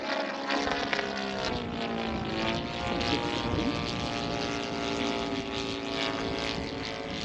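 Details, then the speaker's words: Laser 200 in-line twin in an ESM Hurricane model plane on its maiden flight: a buzzing note with wandering pitch, backfiring pops and stumbles, running rough. Afterwards a loose servo tray was found and blamed for the problems. "Gosh, she's backfiring."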